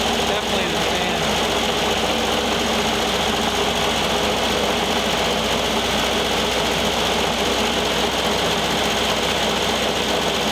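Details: 1973 VW Thing Type 181 that sat for years, air-cooled engine running: a busy, buzzy rattle over the idle, like something loose being hit by the fan. Owner feels the noise is in the cooling fan and plans to remove the belt.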